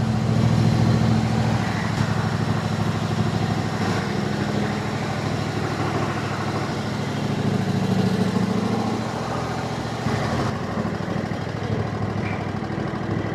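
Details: 22 hp Kohler Courage engine that squeaked when hot, on a test ride after the sump was removed and refitted and oil refilled: steady, even drone under light load with no squeak or knock, running healthy after the fix.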